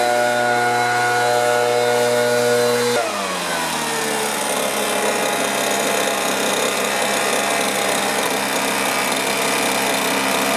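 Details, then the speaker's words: Stihl BR450 backpack blower after repair of its fuel problem (tank vent, carburetor cleaning, coil air gap) and low- and high-speed carburetor adjustment: steady high buzz after dropping from full throttle, holding speed evenly without stumbling or dying. "Sweet Spot still running good"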